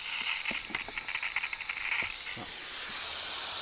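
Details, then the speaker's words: Ducati 748 with clutch failure: steady airy hiss with faint spitting as air is sucked through the opened bleed nipple, showing the clutch hydraulic line is now empty of fluid. "That's sucking through. So, we know that that line now is empty."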